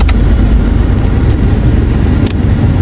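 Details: Honda Civic LXi automatic, after idle adjustment for idle that was too low then too high: engine holds even, steady low idle with aircon on, no hunting or dipping, a couple of light clicks; running healthy.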